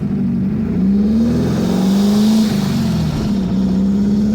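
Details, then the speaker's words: 1977 VW Brasília air-cooled 1600 with dual Solex 32 carbs, accelerating on the road after a cylinder head problem was fixed: pitch climbs smoothly and holds high under load, with no stumbles or misses. "Pode esticar mais essa marcha aí porque agora a dupla ela não do jeito que tá configurada aqui ela não tem fim Enquanto Tiver câmbio motor para empurrar Pode esticar até óbvio que tudo tem um limite né"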